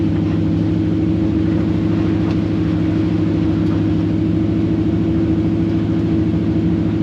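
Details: 1954 Chevy pickup with replacement T5 manual transmission, road test in fifth gear at about 60 mph: steady engine drone and even road noise, no grinding or whine; transmission sounds healthy.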